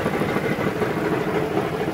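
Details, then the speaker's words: Dodge Journey, about 2012, at idle under the hood: rough rapid knocking that gets louder in gear; cause is a broken flywheel flexplate, not a rod or bottom-end engine fault. "Now, the warning I wanna give to y'all is that don't get tricked and don't get fooled automatically thinking that's a rod or any kind of bottom end engine noise, because there's a lot of moving parts on the bottom of this drivetrain, meaning the engine and the transmission."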